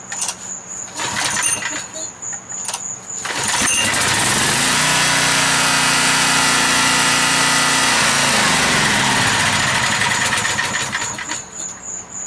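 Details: Generator started cold on propane or natural gas: a pull or two, then the engine catches and holds a steady, even roar for several seconds; normal start and run.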